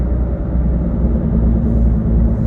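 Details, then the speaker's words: 2006 Nissan Altima cruising: steady low droning hum like an airplane taking off under road noise, not going away when turning; a wheel bearing suspected, possibly a rear one, not confirmed. "It just kind of sounds like maybe an airplane taking off. So I don't know if you can hear that. You'll definitely hear it when you actually test drive the vehicle. 9 times out of 10, that's a wheel bearing."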